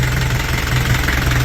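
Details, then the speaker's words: Engine idling after new exhaust routed between the upper control arms: rough idle with whistle and low chug, plus a busy light rattle from the top end; tappets need adjusting. "sounds pretty sick nice bit of whistle on idle chug a lug a lug just need to do the tap and ash a bit rattly up here"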